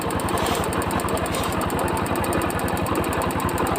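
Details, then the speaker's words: Hero Splendor Plus motorcycle single-cylinder engine, microphone in front of bike: sharp tip-tip tick on every firing beat; mechanic says it is not the piston pin but the piston striking the valves. "यह piston चकरा रहा है ठीक है वालों में इसीलिए इस तरीके से आवाज करेंगे"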